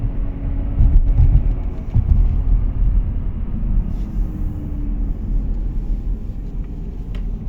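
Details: Audi A4 B8 Avant while driving: a deep, steady droning rumble under the road noise as the car rolls. A worn wheel bearing, replaced with an FAG wheel bearing repair set.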